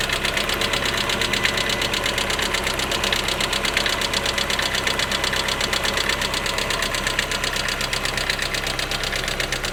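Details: Lada Priora at idle: fast, light, regular ticking over the idle keeping pace with the engine, noisy hydraulic lifters; all were replaced under warranty.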